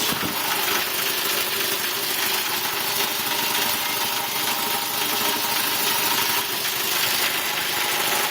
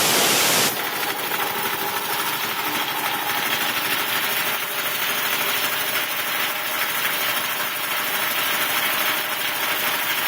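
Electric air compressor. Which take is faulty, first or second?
first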